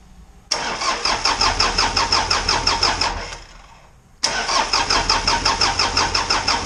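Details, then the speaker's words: Isuzu 4BD2T diesel on its first crank after the build, before fuel priming: two cranking bursts with a steady chug of about three compressions a second, no firing, while oil pressure comes up. The battery is on a 12 amp charge. "okay I think we got it figured out start up and sit so long that it didn't want to engage so I also got a 12 amp charge going into the battery so here we go"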